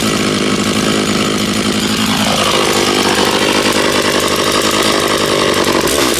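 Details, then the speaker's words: Stihl MS660 chainsaw after a clutch repair, cutting a chunk of wood, possibly ash: it screams at high revs, then bogs to a lower steady pitch as it bites, pulling clean and even. It has strong power, the chain did not come loose and it seems fairly sharp. Normal cutting. "That thing sure has power, man. Holy smoke, she makes chips for sure."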